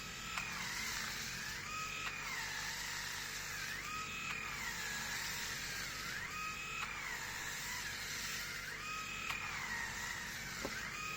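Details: New Grundig MS7640 electric shaver cutting a day's stubble: high motor whine sagging in pitch and recovering every couple of seconds, struggling under load.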